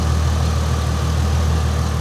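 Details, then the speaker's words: Red V6 Mustang idling: smooth, even low hum with no misses, knocks or ticks; the engine idles steadily and sounds healthy. "But look how steady the engine is."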